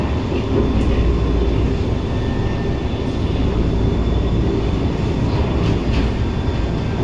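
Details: Singapore MRT C151 train 123/124, recorded 5 February 2025 in car 1124 between Eunos and Paya Lebar: steady heavy rail rumble with a thin high whine and hiss from a strongly hissing traction motor at 1124 A1, cause unknown.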